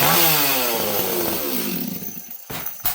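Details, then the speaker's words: Repaired 026 chainsaw held wide open stays rich without leaning out, then screams high and drops smoothly back to idle with crisp short blips; it takes throttle cleanly, and the saw is judged fixed. "And the last thing, does it take throttle cleanly?"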